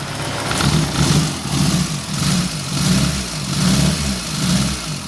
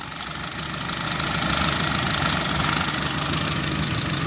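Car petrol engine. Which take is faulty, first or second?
first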